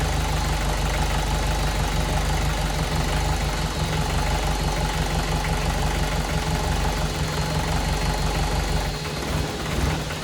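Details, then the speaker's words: VW 1.6 NA diesel swapped into a Ford Ranger, first start after rebuild with new piston and cylinder head following a shattered cylinder 1 exhaust valve, sat for months: heavy, lumpy, rough running with far more vibration than normal. "uhoh yeah normally vibrates a lot but that seems like a lot more than normal more vition"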